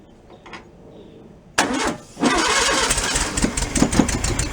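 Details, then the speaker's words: Rebuilt flat-four engine in a 1965 VW sunroof Beetle, first start after rebuild without a run stand; carburettor fuel leak fixed beforehand. Starter churns, engine catches and settles into an even, lively idle with a steady beat; sounds pretty good, normal idle. "sounds pretty good"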